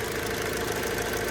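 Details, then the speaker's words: 2002 Hyundai Accent idling with hood open: steady idle with light, quick tapping over the hum; owner thinks something external to the engine is tapping, source not yet found. "It's definitely making a weird tapping noise."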